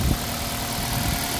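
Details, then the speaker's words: 2005 Toyota Corolla that started then stalled with code P1310 from a faulty aftermarket no. 3 ignition coil, now idling with a Camry coil fitted; steady, even low rumble, no misses or stumbles; starts strongly. "जबरदस्त start हो रहा है तो एक कइल की वजह से पूरा गाड़ी डिस्टर्ब हो गया था"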